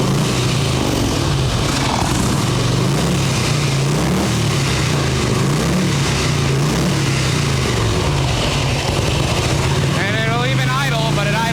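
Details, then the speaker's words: 1989 Harley-Davidson Tour Glide Evo, butterfly carb, held on choke: fast, busy, racing V-twin idle. Accelerator pump not working, idles way too high; plan is a carb clean, blowing out the idle jet, possibly an accelerator pump diaphragm. "Takes throttle really well with the choke on, but it's accelerator pump's not working and it's dead in the interim. So, this just needs a quick carb clean."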